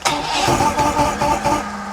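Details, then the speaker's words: 1980s Mercury 150HP Black Max V6 two-stroke outboard, after carburetor sync and priming: catches with a ragged burst, stumbles and sags without settling, won't keep running while trying to clear out. "Well, almost wanted to start. Come on, buddy. This poor old motor's been through some hell."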